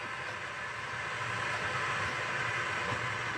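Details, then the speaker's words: Early-1970s Sansui 600L stereo tuner amplifier on a dim bulb tester, speaker on left channel, FM selected, volume right down, no antenna: even steady rushing hiss, no station, crackle or hum; normal FM interstation noise. "Okay, that's sounding pretty good. That's what FM should sound like."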